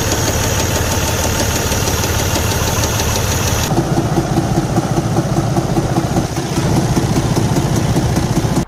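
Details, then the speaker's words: Detroit DD15 diesel at idle: hard, regular knock around 150 per minute; a lobe on the hollow camshaft has come loose and rotates on the shaft, timing still correct; fix is camshaft replacement. "the sound in these uh engines make depending on the uh the the severity of the problem varies as you can hear"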